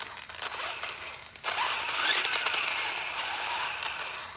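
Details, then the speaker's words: Redcat Volcano Brushless EPX Pro RC truck after fixing a gear scratching noise by moving the motor with an allen key to adjust pinion-to-spur mesh: quick high whir with light ticking, no scratching; sounds tight but much better. "sounds really tight but a lot better"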